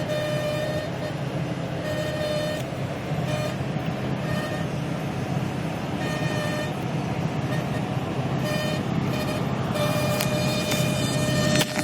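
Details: 2011 Ford F-350 driving into headwind: reedy fixed-pitch buzz comes and goes over steady road rumble; wind-driven buzz, source unidentified.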